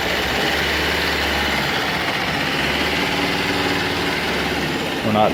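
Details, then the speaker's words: Engine on a wood-gasifier-fueled Ninja, warming up at idle, unloaded and not driving, running on wood gas before air-intake adjustment: fairly steady idle with rough, slightly uneven chuff, no stalling; normal idle on wood gas. "yet we're also not pulling real hard either he's running on what gas fellas"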